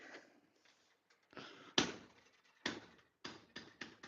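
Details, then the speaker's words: 1963 Impala door that shuts hard: on each close a sharp knock at the latch instead of a clean click. The latch piece is hitting a misadjusted striker, which is being adjusted. "hear it hitting right there? What that's doing, is this piece right here, is knocking up against this right there. That's what we're adjusting."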